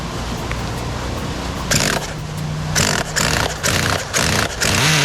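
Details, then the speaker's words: New Kasemo Fotia nitro RC car engine on first break-in tank: high, fast buzz with a few uneven surges at first start, then settling steadier and softer without any adjustment; normal running during break-in. "ครับเดี๋ยวรอปล่อยมันสตาร์ทได้อย่างเงี้ยคืออันนี้เสียงเริ่มนุ่ม"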